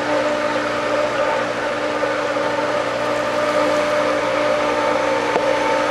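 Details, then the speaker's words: Pool pump at spring opening, just after it primes: a steady even hum with a smooth flow rush, no rattle or surging, still working out some air; it runs normally. "Oh, I'm hearing good sounds. Oh, that sounds good."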